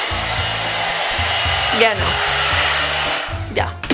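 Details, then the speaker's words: Hair dryer bought at an Amazon return store, tested drying wet hair: steady airy blower hiss with an even motor hum, no rattle or pitch wobble. It turns on and works; normal operation. "Like, it kind of works. Like, I mean, it does what it's supposed to do. Like, it turns on"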